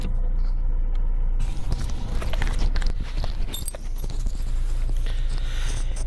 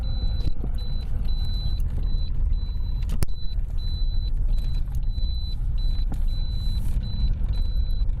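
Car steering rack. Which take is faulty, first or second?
second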